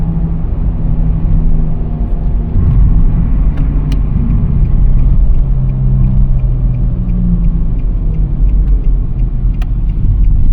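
A low, steady drone hangs under the road rumble while driving, shifting slightly in pitch with speed; the source isn't clear.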